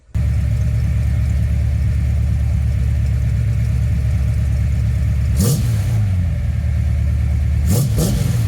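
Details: Engine under no load during a distributor vacuum advance test, ported versus manifold vacuum, advance seeming to come in around 1,500 RPM: an even, deep idle rumble, then two quick clean throttle blips that rise and settle smoothly; revs normally.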